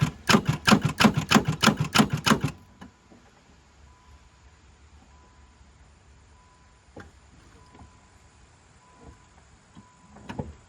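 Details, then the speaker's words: 5-speed manual Caravan project car revived after sitting, mice-damaged wiring, battery just connected: about ten fast starter clicks, roughly four per second, then silence, engine does not turn; owner suspects engine is a little locked up; rapid clicking, no crank. "I'm going to try to crank it one more time. I don't think it's going to do anything, but I think she's a little locked up."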